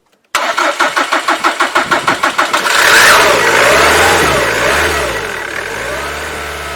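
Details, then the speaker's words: 2007 Jaguar X-Type 2.0 diesel, Delphi system, OBD low fuel pressure, rail pressure sensor changed without effect; slow even cranking, catches on brake cleaner in intake and idles: diesel no-start, runs only on starting aid. "so I'm going to start it with some brake cleaner in the intake pipe it starts up and runs and it's on idle"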